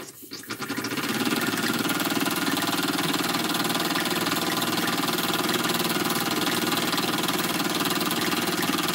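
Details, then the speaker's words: Small model steam engine, warmed up: quick even chuffing about four beats a second over steady hiss, no knocks or stumbles; runs nicely, normal. "so it runs pretty nice not very difficult at all"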